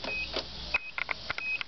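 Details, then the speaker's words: 1990 Nissan pickup with a new battery and new starter, clutch in and key turned: sharp dry clicks at the main relay under the hood, plus chime beeps, but no starter spin; also clicks at a relay under the dash. "I get clicky then I'll set you out here under the hood and you can hear near the uh main Rel the clicking it's you right here it's clicking from here right here"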